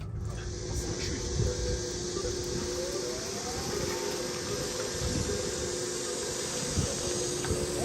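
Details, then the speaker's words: E20 truck rolling at about 20 km/h: steady synthetic hum with faint tone over slow rolling noise; low-speed pedestrian warning sound, active up to 25 km/h and silent above, working as intended. "The car is beeping now, you can hear this sound. This means we are moving slowly and this means that pedestrians can hear us."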